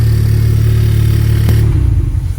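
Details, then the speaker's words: 2021 Honda Civic Type R after upgrading PRL flex fuel kit v2 to v3 (ethanol content sensor): strong even low drone settling as revs drop, no high-pitched whine that the old kit made on throttle; sounds normal. "With the old kit I had on, it was configured a little differently. It made a sound. Anytime you put the throttle on, it made like a high-pitched sound."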